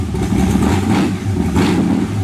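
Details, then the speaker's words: 1923 T-Bucket kit car hot rod, warmed up after needing choke: deep V8 burble with crisp throttle blips rising and falling cleanly, no misses or clatter; sounds like a race car, healthy engine. "Sounds like a damn race car, man."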